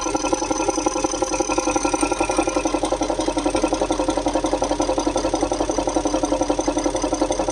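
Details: Audi A8 D3 4.0 V8 TDI (ASE) at idle: an even, sharp metallic tapping at about three beats a second. Oil filler cap shows pulsing pressure, and VCDS shows cylinder 8 at +1.98 mg/str; lifter, timing chain or injector suspected, not confirmed.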